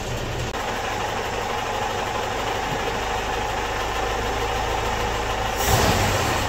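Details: Ford-built M151A2 military jeep, 141.5 cu in 71 hp engine, stored 20 years, restarted; knocking had earlier set in after 10–15 seconds: here a steady, even idle with a smooth low hum, no rattle or miss; oil gauge pegged.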